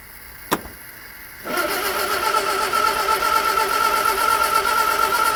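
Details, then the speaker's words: Morris Minor parked over 20 years, new battery fitted, Easy Start used: single click then steady starter cranking about four turns a second, never fires; no fuel pump clicking heard. Cranks but won't start; spark and points being checked, cause unconfirmed. "Doesn't sound good, Bernie. I don't hear the fuel pump clicking at all."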